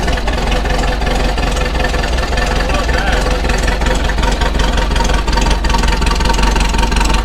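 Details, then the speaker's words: VW Beetle air-cooled flat-four on a cold start after 2-3 days, after replacing the noisy old alternator and the fan and fitting a serpentine belt system; steady low rumble, no knock or belt squeal, running and charging normally. "Old alternator was definitely what was making the noise. So we got that replaced, we got the fan replaced, installed the nice scat serpentine belt system."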